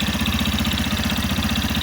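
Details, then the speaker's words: Yamaha FZ15 2025, 746 km, about six months old, warm idle: sharp top-end tick on every firing pulse, about twelve a second, worse when hotter; owner suspects valves, not confirmed. "Tá com um toque toque no motor muito estranho, velho. Não sei se é normal."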